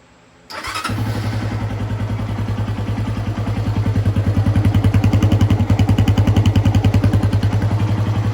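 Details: 1988 Honda NX125 or Apollo Blazer 125 after new carburetor and throttle fitted, started without choke: engine catches at once and settles into a steady, even idle thump with no misses or knocks; healthy running.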